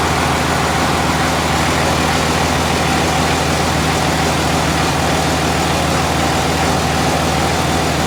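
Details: 2001 Cummins dually, ~240k miles, rebuilt on a 56 block after original 53 block cracked, fresh rings/bearings, 50hp VCO injectors, first start: steady, even diesel idle with low regular clatter, no knocks or misses; normal idle.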